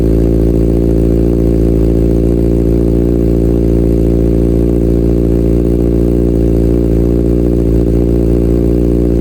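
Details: Salvage-rebuilt Kawasaki Ninja ZX6R idling while warming up so coolant circulates, about 63°C and heading toward 98°C fan-on. Steady, even idle with a smooth low burble and no knocks, misses or rattles; the engine sounds healthy.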